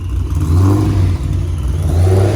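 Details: GTO driving under throttle after a suspected flooding issue with the new fuel pressure regulator in boost: engine pulls cleanly with an even rising and falling drone, no stumble or misfire. Running healthy again.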